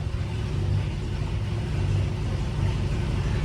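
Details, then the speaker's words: M117E55 V8-swapped Mercedes W115 240D during rewiring, running with old wiring bypassed and coil on temporary switched 12 V: deep, steady V8 rumble, even and rising slightly, no misfire or stumble; runs cleanly. "Well, it runs with all that bypassed, so that's a great start."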